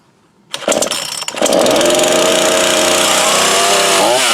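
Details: Brand-new Craftsman 18-inch 42cc chainsaw, started per manual with bulb primed and choke: catches after a couple of pulls, then a steady, even buzz at high idle with no sputter; normal running.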